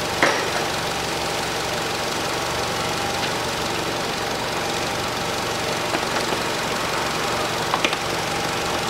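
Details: 2012 Nissan Qashqai 2.0 petrol after spark plug replacement (NGK PLZKAR6A-11), warmed up, engine cover off; smooth even hum around 700 rpm, no misses or knocks; normal idle.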